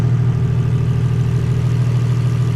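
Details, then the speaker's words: 2JZ engine idling, possibly still a bit cold, just after oil pressure was restored; smooth, even low idle with a steady rumble and no knocks, misses or ticks, sounding way better. "yeah it's it's it's a dude it's way better"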